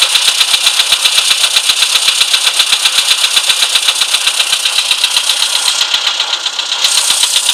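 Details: VW Polo sedan, CFNA petrol engine, cold idle: a sharp, regular metallic ticking knock at about four per second over a thin high clatter, a knock heard when cold.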